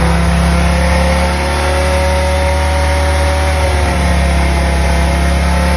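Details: BMW M3 with V10 swap, new 10-into-1 headers and 5-exit oval 3.5" custom exhaust, no radiator fans yet, warming up: deep even idle that swells smoothly with a rev blip and settles, no misfire or knock; normal idle and revving.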